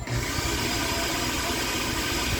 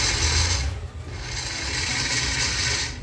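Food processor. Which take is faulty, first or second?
second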